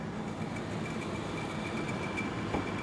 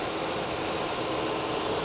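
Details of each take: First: 2021 Mercedes A220, possibly flooded, at an auction yard, idling with 3-month-old battery; steady high-pitched whine over even idle, suspected idler pulley or something in the belt drive, unconfirmed. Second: Honda at an auction yard, about 190,000 miles and 24 years old, with the air conditioning cycling. A steady even idle hum with no knocks, misses or belt squeal over two seconds; sounds solid; normal idle.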